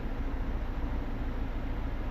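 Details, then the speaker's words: Toyota Fortuner diesel with code P0093, stalling while driving and no acceleration: deep idle with an uneven, lumpy pulse and strong shaking caused by a faulty injector on cylinder 3, before the injectors are tested and cleaned. "สั่นแต่ลอปกติแต่ว่าเครื่องสั่นเนาเพราะว่ามีหัวที่3นี่ชื่อว่าน่ากลัวหมู่เนาะเฮ็ดให้เครื่องสั"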